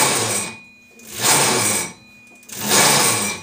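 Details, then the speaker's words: Kart clutch bushing deliberately dried with brake cleaner, wheels spun by hand on the stand: two harsh chattering grinds as the vibrating drum grabs between bushing and sprocket; fix is properly lubricating the bushing. "So basically what's happening is as the tires are trying to turn, the drum starts to vibrate and it grabs a hold between the bushing and the sprocket interface."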